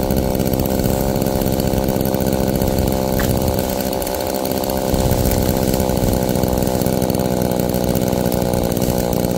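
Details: Roadside-found Homelite chainsaw after carburetor rework, cold-started after sitting, cutting wood in wind: steady high-revving two-stroke snarl dips briefly as the chain bites, then picks back up. Chain oiled; owner suspects it runs a little rich, bogging then recovering in larger logs.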